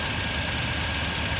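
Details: 2000 Toyota Tundra 4.7 V8, automatic; blinking check engine light, shaking worse when driving. Uneven stumbling idle: scanner shows cylinders 6 and 8 misfiring from crossed coil wires and a damaged, broken coil connector.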